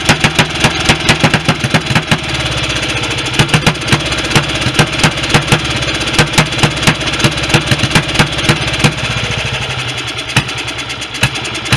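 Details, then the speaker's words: BSA B31 single, magneto ignition, first run after restoration: slow lumpy idle with loud irregular popping over a steady chug, likely rich; carburettor has an oversized jet, smaller jet planned. "this has got a rather large jet in it that's anything which is probably explained why it was quite sorted up when i stripped it initially so i'm going to get a smaller jet for sure"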